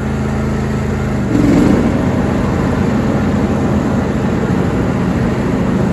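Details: John Deere D130 hydrostatic lawn tractor, 22 hp twin-cylinder, 271 hours. The engine note thickens into a denser steady roar as the mower deck engages, then holds even with no knocks or squeal; running normally.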